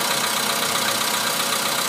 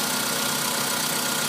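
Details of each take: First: VW Polo Sedan cold start at −2 °C outside: cold idle with a fast, fairly regular light tapping about four per second over a hissy engine; engine knock when cold, cause unknown, later running smoothly. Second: VW Polo Sedan engine that knocks when cold (outside −2 °C), now warmed up; steady even idle with no knock left in the rhythm; normal idle.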